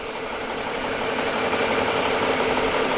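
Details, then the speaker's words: 2001 BMW 740i (E38) V8 idling smoothly after the new engine was installed, running over half an hour; even low pulse, no knocks or misses, and the earlier smoke has completely gone. Healthy. "Listen to it. She runs beautiful. Beautiful. And all the smoke completely went away."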